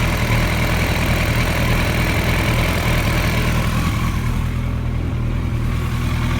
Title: Rough Idle